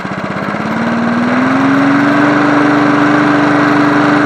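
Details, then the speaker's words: John Deere NO20K push mower (1980s), after cleanup, final startup: revs drop as owner idles it down, settling into a steady single-cylinder putter, pitch leveling off and holding even; idles fine. "Sounds pretty good for a John Deere. I don't know how close I can get it to idle. That's not bad."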